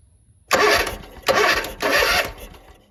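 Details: Zero-turn mower, crank no start: 12 V battery, spark present, fuel in intake still won't fire, air filter completely clogged; three half-second cranking bursts turn the engine over without catching; carburetor gaskets found failing, carb rebuild planned.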